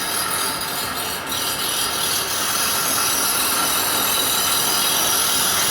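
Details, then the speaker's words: Dual Express grinder sharpening a Toro Walking Greensmaster Flex 21 reel, after turning both handles about half an inch: steady bright high-pitched grinding hiss that builds and evens out; wheel cutting fully and evenly across the reel. "I turned them about a ½ inch on each side, and you can hear the noise change."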